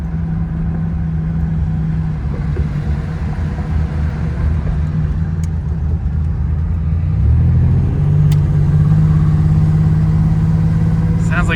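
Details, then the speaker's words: 1987 Buick Grand National, freshened 249ci stroker on a 109 block with roller cam, 6770 turbo, E85, about 135 miles on new engine: lumpy low-rpm misfire like a dead cylinder, smoothing as revs rise; owner suspects loose plug wire or valve. "down a cylinder and then it picks up right there. Could be something as simple as a spark plug wire that I didn't get on all the way."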